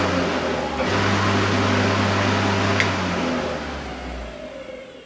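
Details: Wolf Garden lawnmower that didn't run, with no click from its switch: after a temporary fix in the switch box rejoining the wiring, steady even motor hum starts, holds a few seconds, winds down smoothly; mower runs normally.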